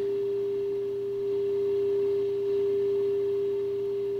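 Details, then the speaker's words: RCA Victor 9-X-571 tube radio alignment with signal generator feeding 1.4 MHz: pure steady tone around 400 Hz at the speaker swelling as the 1400 antenna trimmer is peaked for maximum loudness. "so now I need to peak this for maximum signal so basically I'm just looking for maximum loudness"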